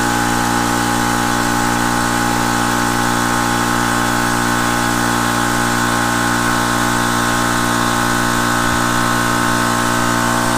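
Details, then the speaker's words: Air compressor started through a watt meter (a 5000 W inverter could not start it): steady even motor hum with a constant pumping beat near 220 a minute, no knocks or squeals, running normally. "We're gonna go ahead and start the compressor with the kilowatt, see how many volts it takes, or watts it takes to turn on."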